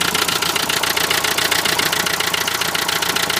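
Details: Renault Trafic van, 2.0 dCi M9R diesel at idle: sharp, even bright metallic rattle, roughly two to three knocks a second; source not pinned down, possibly an injector.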